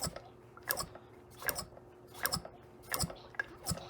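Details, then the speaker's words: 1973 Johnson 2HP outboard (model 2R73B), unrun since 2006 and prone to start-and-stall, cranking on an old, oily, dirty plug: uneven bursts of sharp snapping clicks with beats missing. Spark is intermittent; weaker snaps are audible but unseen. "If you listen carefully, you can hear the snap of the spark, but you don't see it on the video."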